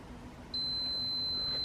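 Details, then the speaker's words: Giandel 1200W inverter powered by running Toyota RAV4 Prime, after charging motorcycle battery around 900 watts, breaker reset: quiet hum then sudden high-pitched steady tone; overload alarm persists, owner suspects inverter or outlet damaged. "It shouldn't say overload. Why would it say overload? I don't understand."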